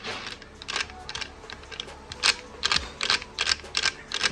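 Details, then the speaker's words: Rebuilt 1.80 planetary gearset from used gears, turned by hand: irregular dry clicks and ticks a few per second, notchy; owner suspects a mismatched swapped gear or too-tight assembly, unconfirmed. "they spin fine but they feel very notchy almost like i mean maybe that that gear that i changed out maybe the i thought was a mismatch set in here to start with but it sounds like or feels like something is not mission right and it's clicking and all these are fairly loose"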